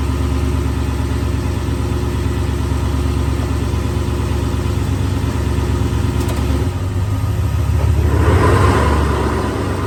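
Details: 2002 Toyota Tundra 2WD V8 idling: rough uneven grinding rasp underneath, heard only in park or in first gear; cause unknown.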